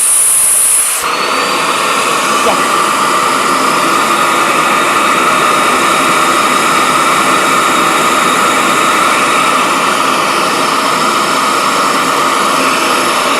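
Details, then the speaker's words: Vacuum pump on an RC vacuum-forming setup, heating elements removed: loud, steady high rushing whine with constant tone, like a jet taking off; pulling normally, forming appeared to work. "that thing sounds like a goddamn Jet Plane taken off looks like it worked though"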